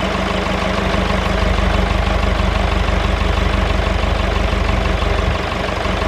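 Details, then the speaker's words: David Brown 996 diesel tractor, sitting about 10 years, first run after storage: even, low idle chug of roughly three pulses a second, holding speed with no misses or knock; normal diesel idle. "there she is it's a runner"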